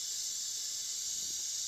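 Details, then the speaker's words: Heating system whose boiler stopped after the radiators were bled: a steady high-pitched hiss as trapped air escapes the radiator bleed valve; the pump's wattage dropped when the air reached it, then recovered. "as the air leaves the wats will go back up there we go see the air left before the pump went up to full speed but I could hear it"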